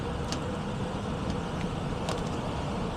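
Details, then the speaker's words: Ancient heat pump air handler after blower capacitor replacement: steady airy rush over a low even hum, no rattles or labouring; door open so free-running, drawing 1.5 A against 2.63 A full load; blower running smoothly. "we'll switch over to amperage check out amperage draw it's going to be higher because the door is open so it's allowing it to free run wild basically"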